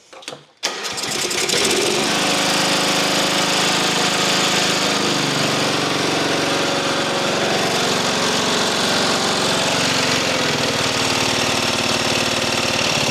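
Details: Mower engine after an engine swap fires right up on full choke and holds a steady, even drone with no hunting or surging; carburetor not leaking, running healthy.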